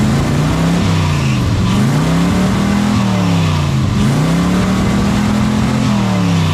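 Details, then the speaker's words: '67 GMC C10 with the tired old 350 V8, warm, revved up and down: steady squeal rising and falling with engine speed; engine drops oil pressure once warm, source unconfirmed. "earing was that that squealing noise is making when it drops oil pressure once it warms up."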